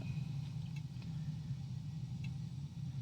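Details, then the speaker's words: Gas water heater fed from a gas bottle, main burner lit by turning up the thermostat with the pilot on: soft, even low roar with no popping, flutter or surging; burning smoothly. "And then turn this thermostat around until you hear the gas ignite. Like that."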